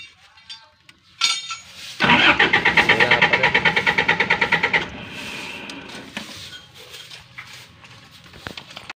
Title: GENERATOR WONT START - HOW TO TROUBLESHOOT. STEP BY STEP. Generator ayaw umandar pano ang gagawin.